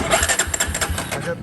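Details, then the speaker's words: 2005 Polaris Predator 500 four-stroke ATV, tank empty and no fuel reaching the carb; rapid, even cranking chuffs, about seven a second, never catch. Crank, no start from fuel starvation. "it's not getting any fuel to the carb so i'm going to try and jump start it"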